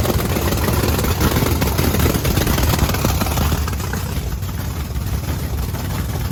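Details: Blower methanol Camaro after cleaning the injector nozzles, which had much gunk, especially in the top ones: loud, deep, lumpy idle firing even and steady with no stumble; not drowning in fuel. Running normally.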